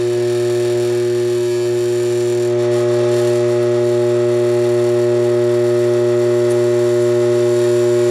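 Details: Armature growler testing a DC generator armature, hacksaw blade held against it: steady loud mains hum that grows louder and harsher partway as the blade buzzes over shorted bars; shorted armature bars.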